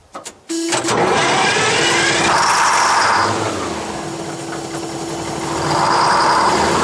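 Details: 1968 GMC water truck with 6-71 naturally aspirated Detroit diesel, cold first start of the season, tank low and fuel line purged: long steady cranking, starter whine sagging and recovering, never catching while fuel primes through.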